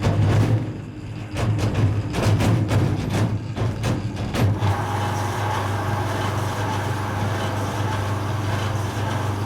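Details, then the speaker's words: Creda 3730 washing machine, bought at auction and thought not sold in working order, front door trim missing and front seal thought gone: heavy irregular thumps hammer for about four seconds of drum spin-up, then settle into a steady low rumble; vicious banging start. "Well, that was a vicious start. That banging was bad."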